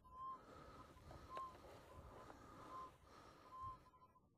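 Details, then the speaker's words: Minelab Eureka Gold metal detector, 60 kHz, in boost mode over mineralized ground: a faint tone wavers in and out with the sweep. This is ground mineralization noise, not a target, and it worsens farther up the slope. "you hear that ground noise I'm going to take the machine out of boost and that's not the target signal anymore that's the ground mineralization"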